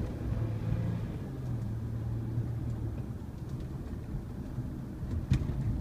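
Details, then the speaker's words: Honda Ridgeline test drive over bumps after wet silicone applied to the dash speaker: only dull road rumble and soft thumps, no dash rattle; the rattle was the speaker cover grille, now fixed. "aha sounds like the rattle is gone I think it was that speaker oh there's some good bumps yeah it's gone rattle gone it was the speaker cover Grill"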